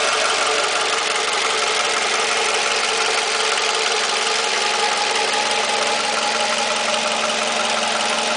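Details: Toyota 2AZ-FE engine at steady idle with a faint, uneven tapping about three a second riding on the engine note; knock of unknown origin near the starter.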